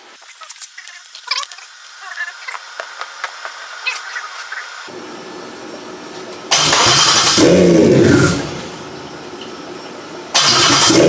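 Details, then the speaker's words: Toyota 1JZ engine for a Nissan 350Z swap, first start on a new ECU while sitting on a tire and cherry picker, with no oil pressure check. The starter cranks briefly, it catches and settles into a steady, even idle with two rev blips; sounds healthy. "we know that it runs and it's alive and it sounds very very healthy"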